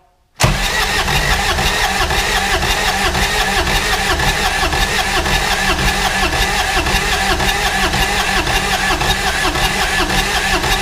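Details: 2011 Kawasaki Mule 4010 diesel, idle for about two years, after rocker arm and pushrod replacement, glow plugs used: steady cranking about two beats a second for ten seconds, no firing; owner suspects tight piston rings and low compression.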